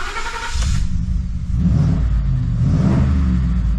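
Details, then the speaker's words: 2014 Ford F150 with ongoing misfire at idle, after a new intake tube was fitted: engine blipped, then sags into a low, uneven idle and won't stay running without gas; stalling at idle, owner suspects the idle air control valve. "see I'm having to give it gas to stay running so I don't know that kind of makes me think maybe like an idle air control valve or something see it won't stay running now"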